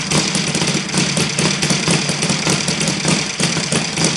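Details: Saito FG-60 R3 spark-ignition model engine at low idle: fast, rough, shaky, buzzing firing with heavy vibration while the Hall sensor is moved from early to late ignition; timing suspected, but no clear link found.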